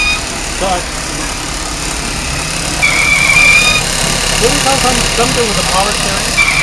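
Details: 2003 Ford Taurus: a thin, high whine comes and goes over the idle, unrelated to any knock; whining from the engine bay, source undetermined, transmission not slipping.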